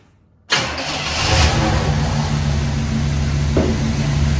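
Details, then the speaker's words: 1966 Pontiac Grand Prix, 389 V8 with a four-barrel, first start after sitting since 1992: it settles into a slightly uneven, lumpy idle with a faint shake. Rough idle; the owner thinks the ignition timing needs advancing. "a little shaky I might need to advance that a little bit"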